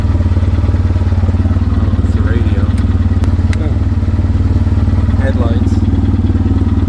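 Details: 2007 Polaris Ranger 700XP bought as needing work, original engine at idle: steady idle with hard regular knock about three per second over exhaust; valve train looked fine, cause unknown, engine replaced with used one.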